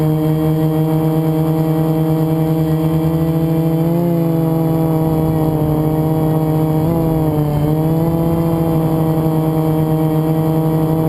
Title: Easter Sunday FPV #1 and what flying with a bad bearing is like. No fail sorry,